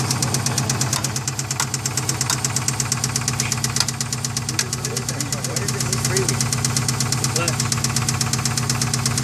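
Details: Subaru engine, mystery noise: sharp, fairly regular ticking knock about three a second over the idle; listeners can't place the side. Source uncertain, not confirmed.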